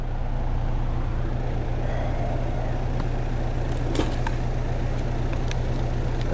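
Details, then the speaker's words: Outdoor AC unit with no cooling, thermostat calling for cool: only a steady low fan whoosh with no deeper compressor hum underneath; compressor not running. "all right I do not hear the compressor"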